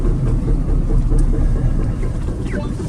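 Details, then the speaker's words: 1999 Honda Accord, first drive after sitting about four years, crawling speed: dull thuds about four a second from the rear over road rumble; owner suspects warped rusty rotors, brakes metal to metal. "this is the main thing that I want to see if you can hear that thudding and clunking in the back but we've got some brake issues horrible horrible sound"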